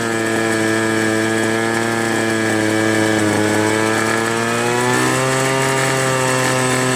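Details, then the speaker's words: Free two-stroke leaf blower (Troy Bilt/Homelite): the pitch drifts up and down instead of holding steady; it won't go high throttle unless the choke is in the middle. One carburetor high-low mixture screw is missing, the other rounded off so it can't be adjusted. "It won't go high throttle. Unless you put the choke in the middle."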